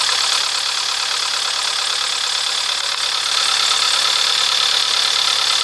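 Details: Astra, cold engine: steady, fairly even tapping over the cold idle at about three and a half per second; knock of unknown cause, mechanics variously suspect wrist pin, piston slap, lifter not pumping up, rod bearing, camshaft or pump.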